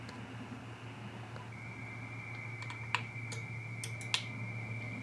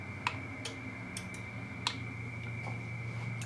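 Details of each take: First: XPA125 antenna tuner with 9:1 end-fed random wire antenna: two sharp crisp relay clicks about a second apart over a quiet hum when the tune button is pressed; normal relay switching during tuning. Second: XPA125 auto antenna tuner with an IC-705 and 9:1 end-fed random wire, switched back to 40 m: scattered sharp relay clicks over a steady carrier as it runs a full retune again; owner suspects the tuner has no working memory.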